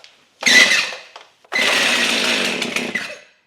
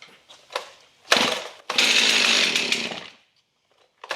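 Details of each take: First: Stihl MS 271 chainsaw that won't start and was hard to pull: two cord pulls give a harsh high scraping squeal fading as the rope slows, never firing; squeal when pull-starting, clutch suspected, not confirmed. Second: Stihl MS 271 chainsaw that previously wouldn't start and squealed when pulled: pull-start catches, then it runs and revs cleanly and evenly with no squeal; normal running.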